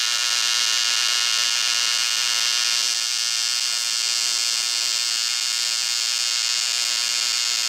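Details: ProTIG 200 TIG welder after a setup mistake was corrected, welding a thinner piece: a steady, even high-pitched buzz with no crackle or popping; normal, stable TIG arc.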